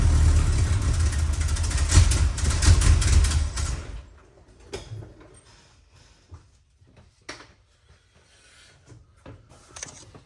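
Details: 1962 Chrysler New Yorker, 440 V8, cold before carb tune-up: runs rough and uneven a few seconds, surging and stumbling as throttle opens, then shut off; owner says sputter mostly from being cold, not confirmed.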